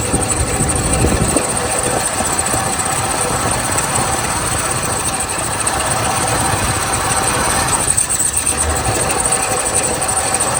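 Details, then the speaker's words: 1977 Lincoln Continental Mark V V8, first start after at least 3 years in storage, varnished fuel filter, vacuum and exhaust leaks, bad water pump: uneven stumbling idle with some knocking under a steady hiss, heavy smoke; rough, cause not pinned down. "Yeah, all right, cool. It's running. It's rough, but it's running. Yeah, she's a smoker."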